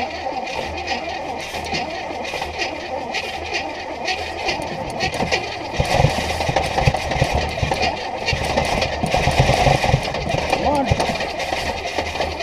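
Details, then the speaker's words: Abandoned 1968 Buick Skylark Custom, first start attempt with used spark plugs, boat fuel tank feeding the carb and spare battery: starter churns, a few ragged firing bursts nearly catch then die; suspected too much fuel. "W crank crank okay we're going have to give our battery a little break uh we got close there probably fed her a little too much fuel B"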